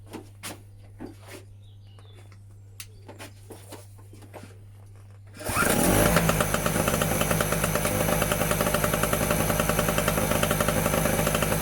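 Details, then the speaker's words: Medusa Compact 950 generator two-stroke engine, first start on choke after fitting a new fuel tap to replace a broken one: quiet clicks, then it catches and settles into an even, fast buzz, running healthy (but not yet generating electricity). "Oh, look at that. Lovely little sounding two-stroke there. Right, so that was a success."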